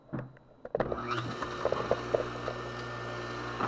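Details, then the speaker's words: Craftsman table saw motor after a rebuild: a sharp click at switch-on, then a quick spin-up to a steady, even hum. The start winding is heard engaging and disengaging normally; a front bearing was suspected of rattling earlier. "you can actually hear this one when it disengages there you hear it and when I start it you can hear it when it"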